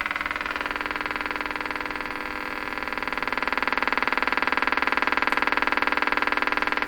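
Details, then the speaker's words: Stromberg Carlson 561 tube radio tuned to 600 after a tube swap and an added ground: a steady putt-putt motorboating of about four pops a second with a slow rise and fall in loudness, a new fault. "So I hear the popping, the motor boating, and then there's a slow rise up and down. too."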